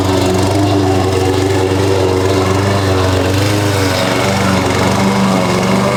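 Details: Husqvarna push mower that sat over 4 years, after a clean carb and correct oil level (Rotella T6): steady even single-cylinder putter at constant throttle, no misses or surging; a loose blade suspected rattling underneath.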